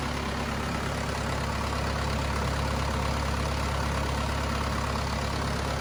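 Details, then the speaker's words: Cummins 4BT diesel in a Power Wagon, first run since 2015, temporary battery, 8 psi fuel pressure, not hot; steady even idle clatter, no misses, knocks or surging: normal healthy idle. "well i never doubted that it would start and run perfectly but it was really good to hear it"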